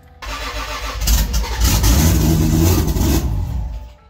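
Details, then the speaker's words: 2JZ-GE non-VVTi block with VVTi head, BC 276 cams, on Ecumaster wiring in a 1995 240SX: engine catches and revs roughly under throttle, lumpy and uneven before dying back; running very rich. "no it was rich as hell"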